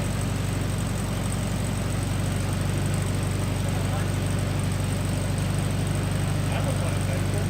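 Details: 1974 VW Beetle (Sunbug) air-cooled flat-four, first run after 30+ years in storage, with a replacement carb, fed from a small temporary tank: steady low chuffing idle, about four pulses a second, even with no misses or knocks; healthy running.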